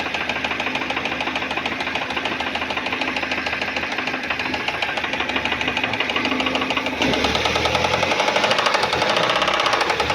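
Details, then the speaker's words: Engine with oil light on, losing power; oil light goes out once running but sharp, even knocking about three per second persists, piston/rod hitting, cylinder head then removed; engine must be opened: rod knock. "Aí tá batendo o pistão, né? Aí, pelo jeito, não tem o que fazer se não abrir o motor, ó."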